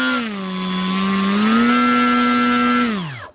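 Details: Hobbyking ASW28 RC glider electric motor: buzzy, rough whine with vibration and odd noise at part throttle (around 50–60%), then spinning down; owner already swapped several parts but not yet the motor.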